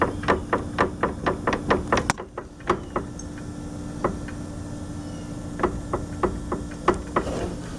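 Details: 2015 Arctic Cat Wildcat Sport, about 120 miles: quick hollow clunks three or four a second in bursts as the wheel is rocked, slack in worn front a-arm bushings, lower passenger side worst; noise heard slowing down or turning over bumps.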